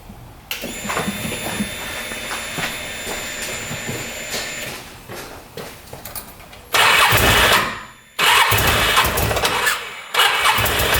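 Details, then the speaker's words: Odes Dominator 800 V-twin UTV that suddenly lost power while riding: cranks, fires and runs rough with uneven surging and loud ragged bursts, smoking heavily; something wrong internally, cause unknown. "oh that sounds bad that sounds really bad no wonder the guy didn't want to start it up for me that sounds horrible"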